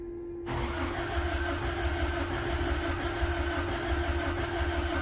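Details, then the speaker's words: 1966 Dodge Coronet, carbureted, cold start: steady, even idle with a low rumbling pulse and faint constant hum, no knocks or misses; runs smoothly. "all right this thing's going to fire right on up let me get you guys set over there and you can hear how mint this thing sounds"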